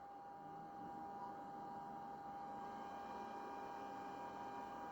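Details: Vintage computer with 6 MB RAM showing a configuration mismatch, on retry after first seeming dead: faint steady whir with a constant mid-pitched tone under room hiss; the hard drive is spinning and working.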